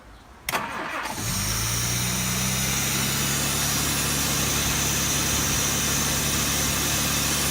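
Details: 1967 Jaguar Mark II off the road 20+ years, first start after the rocker covers were refitted: the starter cranks briefly, then it fires and settles into a steady idle. No misses, knocks or smoke, though the idle needs slowing and the vacuum advance is disconnected.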